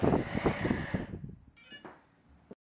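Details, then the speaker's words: Blade 350 QX quadcopter after motor 4's bearings were replaced with Boca ceramic bearings following noisy-bearing problems, run at night in 16° cold. Even high whine for about a second, then a smooth wind-down with no grinding. Normal motor run. "I just want to go ahead and show you that the uh the craft runs and flies and everything's good"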